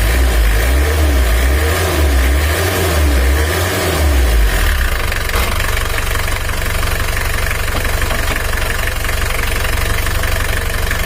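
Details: Mitsubishi L300 diesel, treated for weak power and high fuel use, after timing work: steady, even clatter at a cold idle before reaching operating temperature, no stray knocks or misses; runs smoothly.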